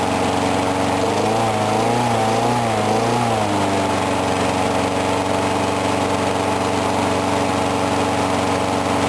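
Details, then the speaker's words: Briggs & Stratton mower engine, cold 35°F, sat long with water in the gas, refueled; wobbly surging note for a few seconds then steady even running; normal running. "Anyway, I was surprised it started up on that first pull, because it's been sitting for like ever, and there's water in the gas,"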